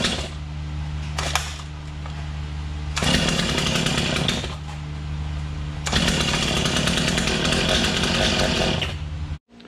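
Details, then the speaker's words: Stihl MS250 chainsaw at first start in the shop after a first-time crank bearing and seal replacement. It fires and revs in bursts, drops to a lumpy idle, then dies; starts then stalls, fuel delivery suspected. "It just starts and stalls and starts and stalls."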